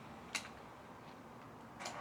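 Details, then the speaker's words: Honda CBR1100XX Blackbird project bike, first start attempt after an engine replacement, with a little fuel in the tank: ignition on gives no dash, only faint clicking and no engine sound. The cause was a blown start-kill fuse. "Nothing. Okay, not a good start. So we're getting nothing on the dash."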